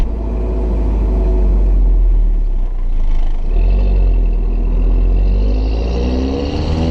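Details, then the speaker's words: 2009 VW Golf Mk6 1.4 TSI turbo petrol, stock exhaust, DSG dual-clutch, driven hard in Drive: rising engine note, then a short burbling blip at the upshift around 4000 rpm; normal DSG shift burble. "so when you hit about 4000 when it grabs when it changes gear that's when you're gonna hear the dsg uh thoughts"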